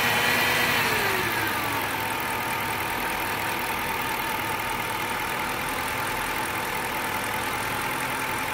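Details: Brand-new engine with 3,500 miles in a 2006 Dodge Charger R/T V8, idling evenly with a steady mid-pitched hum over the engine note; the hum also occurs on acceleration, cause unknown.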